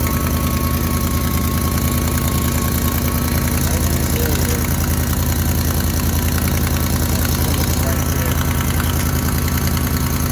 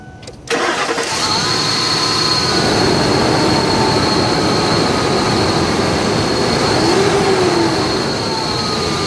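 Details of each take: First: Idling engine with steady quick ticking following firing pulses: exhaust leak where the pipe joins the exhaust manifold, to be patched temporarily with muffler weld. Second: Engine cranks and settles into a steady even idle with no ticking, just after a temporary muffler-weld patch on a leak at the exhaust manifold-to-pipe joint; tick expected to return with heat.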